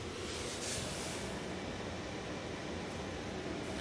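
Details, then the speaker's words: Mercedes Sprinter, key out, battery just reconnected: steady airy whoosh of the heater blower running constantly with no engine running, air coming from the vents and draining the battery overnight. "so the key is out but the blower motor is on there is air coming out of these vents I hope it's loud enough to the point where the camera is picking it up okay so the blower motor is running constantly which is killing the battery"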